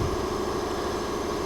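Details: Briggs & Stratton 208cc engine on a Diamond 25-ton log splitter that would not start and had its carburetor cleaned: short stretch of even idle with a steady low hum, no surging or sputtering; running normally.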